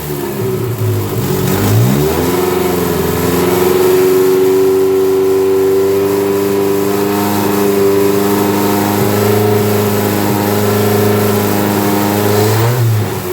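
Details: Dodge Daytona stock car with cobbled-together engine, first start on booster, engine light on: catches, blips up, then settles into an uneven, wavering, stumbling and surging run because it's on the stock computer instead of the tuned one.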